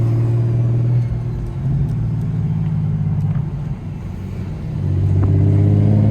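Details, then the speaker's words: Precision Pulsar 6466 ball-bearing turbo after install (replacing blown turbo), under a pull: rising whoosh then smooth fading whistle; spool and wind-down louder and more pronounced, audible even on downshift; pulls faster; normal healthy turbo. "like right there I don't know if you guys can hear that wind down that [ __ ] is just crazy yeah this [ __ ] sounds crazy"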